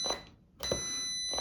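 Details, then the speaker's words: Angle grinder that hums but won't spin, multimeter continuity test across plug with switch pressed: clear high beeps; cord and switch circuit intact. "Вот, слышите звонок? Всё. Делаем вывод сейчас, что провод и выключатель, вот эта у нас часть вся в порядке, электрическая."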